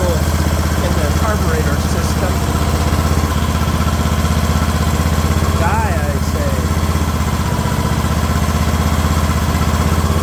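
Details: Craftsman LT2000 riding mower engine at a slow idle: low, steady putter about four beats a second with no hunting or misses; smooth, normal idle.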